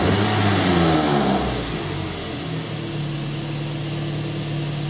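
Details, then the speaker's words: Toyota after repair of a bad engine computer ground that caused rough running, long crank and flashing check engine light: smooth even idle with steady low hum, no misses or stumbles, revs well; engine running properly. "But this vehicle is a fix. Let's hear it one more time. Runs good. It revs good."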